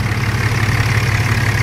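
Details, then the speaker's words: Dodge Cummins diesel at 254,000 miles, just after CCV delete: steady idle with light, fast ticking chatter over the low rumble; valve rocker chatter at idle, rockers need adjusting. "it's louder you can hear the chatter of the rockers i need adjust those"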